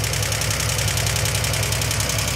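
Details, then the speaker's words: 1971 Triumph TR6 stored since 2006, first start: quick light tapping over a steady idle, even and continuous, slight smoke; sounds like valvetrain tick before oil reaches the top end, may quiet; suspected, not confirmed. "I don't really like the oil get up in the top of that engine though. Sounds good. Sometimes it can take a little bit,"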